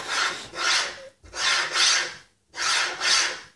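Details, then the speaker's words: Cheap linear bearing with practically no grease, moved back and forth on its shaft, gives a harsh rasp like metal scraped across a floor; feels tight in spots, rough dry bearing. "practically no lubricant grease in these bearings at the moment and doesn't really sound like bearing on a sha that sounds more like scraping something across a metal floor yeah I'm not overly impressed"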